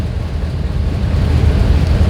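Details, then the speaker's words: 2001 GMC Yukon 6.0 V8 with a deep, lumpy idle that surges and loses its beat, shaking the phone; codes P0300 random misfire, P0174 fuel trim and P0151 O2 sensor, plus knock sensor and fuel level sensor codes. "even you see I'm I'm I'm I'm as I'm talking to you you see my the phone is shaking okay that means the car is not running smooth"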